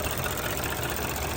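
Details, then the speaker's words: 2019 Audi A6 S-line TFSI engine, 111,000 miles, about 5 years old, heard in engine bay at idle; steady hum with busy light ticking, unsure whether the noise is normal. Engine noise at idle. "now the engine is making some noise not sure if this is how this engine supposed to be tracking"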